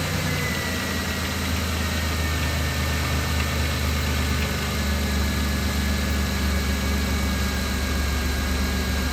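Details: 2000 Chrysler Town & Country/Dodge Caravan 3.3L/3.8L idling after serpentine belt tensioner replacement (belt had been shredding off): smooth, even idle with a steady low hum, no belt chirp, squeal or tensioner rattle; normal idle.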